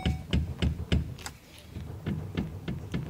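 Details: Chevrolet S10 LTZ pickup, noise seeming to come from the steering column while the wheel is rocked: repeated dull clunks about three a second, actually from the steering shaft joint whose bushings wear out; steering shaft joint clunk.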